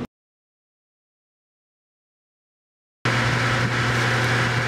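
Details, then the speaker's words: Home central AC set to cool at 57: the blower and outdoor fan run with a steady hum and rushing air, but no compressor drone joins in; the compressor is not starting, and its common winding was found open. "So, what I see right here is that the fan is turning, but we can hear that the compressor isn't kicking on because you should hear the compressor sound and the fan sound."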